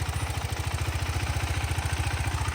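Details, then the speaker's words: KTM 390 Adventure showroom test bike, ridden hard and dropped: steady single-cylinder idle with even, quick ticking clatter over the beat; tappet noise, showroom says all these bikes make it. "ಅವರು ಏನಂದ್ರೆ ನನ್ನ mind ಅಲ್ಲಿ ಎಲ್ಲಾ ಗಾಡಿನೂ sound ಬರುತ್ತೆ ಅಂತ ಹೇಳ್ಬಿಟ್ಟು ಈ ಗಾಡಿ ಕೊಟ್ಟಿದ್ದಾರೆ"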